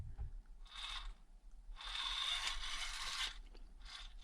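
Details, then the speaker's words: Micro brushed crawler comparing old AS12/6RW and new MBR AS14/8RW Easy ESC (4x resolution), both on mid speed, 18 kHz PWM: short bursts of gear chatter, no electrical whine; quiet, smooth drive. "super smooth and well I can tell you now it's smoother or not maybe it's really smoother it's four time the resolution is four times as good both are of course completely silent 18 kHz WPM"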